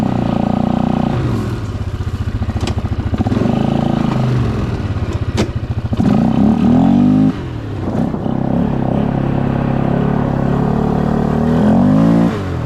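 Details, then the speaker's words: Polaris Scrambler 500 ATV, a barn find revived after sitting 10 years, ridden under load: single cylinder pulls cleanly through repeated revs and throttle changes with no misfire or knock; runs great. "It starts. It runs great. And it has brakes. Let's take it for a ride."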